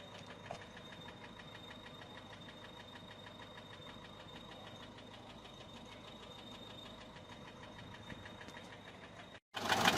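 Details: Peugeot 407 1.6 HDi 90 diesel at idle: quick light top-end ticking, three to four per second. Noise began after a road drive, with slight white smoke from the rear. Mechanic suspects tappets (poussoirs) or camshaft, unconfirmed.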